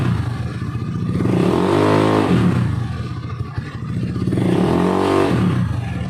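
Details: Honda Beat carburetor scooter after fixing rattling CVT noise on throttle opening by refitting CVT cover support boss: revved twice, rising and falling smoothly, no rattle or clatter from belt drive; transmission quiet and healthy.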